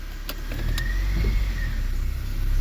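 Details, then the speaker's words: 2007 Honda Fit 1.5 that idled rough and stalled in gear when cold, with no check engine light and fuel trims around negative teens, after repair: steady even idle that holds in gear without stumbling. "Before when we put this thing in gear, it would go putt, putt, put putt and die when it was cold. Now you put it in gear and it stays pretty smooth."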